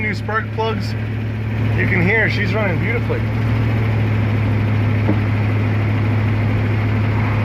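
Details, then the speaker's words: V8 pulling uphill after spark plug replacement (previously averaged 6 of 8 cylinders firing due to cracked, corroded and gapless plugs): deep, even drone holds steady, no stumble or miss; running smoothly. "She just goes up that hill. She's running beautifully."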